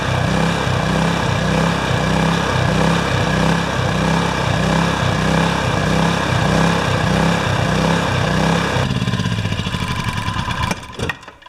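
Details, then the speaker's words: Yamaha generator with Mikuni carburetor, test run after cleaning carb; engine pulses in a rough rhythm about four times a second for nine seconds then dies, surging from a remaining carburetor fault before reaming the jets. "what's going in is there's still a bit of a problem with this carburetor"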